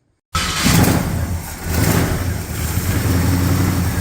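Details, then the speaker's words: 1965 Ford Fairlane with a recently rebuilt 1978 302 V8, first cold start after carburetor work, engine not yet warm and fast idle not yet set: it catches, then the revs sag and hunt before a low, lumpy idle; needs more choke and the idle is a little low. "okay so the choke is obviously not quite right yet so needs more choke yet idle speed's a little low for that as well"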